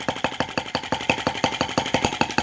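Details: Lanz-type T16B brass half-tracked model tractor on its first run, fan confirmed turning, before stopping to check temperatures: crisp, evenly spaced firing pops about seven a second, no misses or clatter; normal clean idle.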